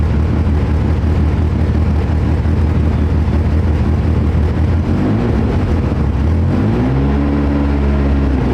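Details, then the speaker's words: 2015 Nissan Altima 2.5 with check engine light on, codes P0014 and P0300, and the exhaust completely gone: deep, loud, choppy idle with an irregular beat and an exhaust-leak blat, then a short rev; misfire from a stuck exhaust cam timing solenoid. "It's got the chop. You could hear it there running. It's choppy. Money lights on. The exhaust is completely gone."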